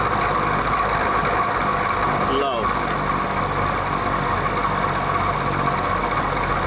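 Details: Vintage Penncrest (Lakewood) box fan on high speed: constant motor hum with a thin steady whine; the defective motor has a rear thrust washer issue, quieter tilted down and noisier tilted back.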